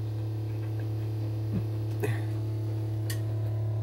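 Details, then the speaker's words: MX60 charge controller switched from 24V to 48V, with an array of two 24V panels in series. At 58V array, only a steady low hum is heard; the strange noise heard at times below 60V PV is gone. "yeah it seems like i don't hear the noise anymore nope so yeah i don't know why it dropped to 56 that's weird"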